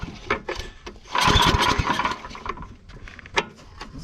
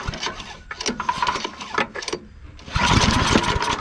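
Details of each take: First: Yard Machines/MTD snow blower, recoil cord just replaced: several sharp recoil pulls with brief chuffs that never catch; won't start because the engine wasn't primed. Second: Yard Machines/MTD snow blower after recoil cord replacement and priming: a few rough sputters on the pulls, then catches near three seconds and settles into a steady run; recoil works, normal start.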